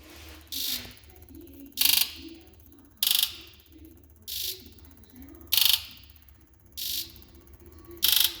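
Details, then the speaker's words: 2000 Ford F-350 7.3 Powerstroke diesel, 567,000 km, hard cold start complaint: injector buzz test, seven sharp electrical buzzes about a second apart, injectors 2 and 5 fainter and 8 doubtful; weak injectors, not firing properly. "so I'm gonna start this Buzz test so it's gonna Buzz all eight one two's a little weak three is good four is good five's weak six is good"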